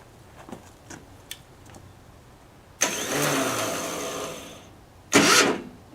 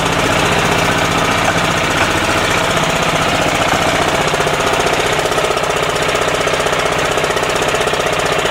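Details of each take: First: 10hp LaunTop Yanmar-clone diesel, cold start at about -4C. Faint clicks, then two short rough cranking bursts that don't catch. A poor starter ground: the owner had painted over the ground stud and most surfaces are painted. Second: 10hp single-cylinder LaunTop Yanmar-clone diesel about a minute after a cold start at about -4C. Loud, fast, even clatter at steady speed with no misses or knocks. A normal cold warm-up, still smoking, and more so at low rpm.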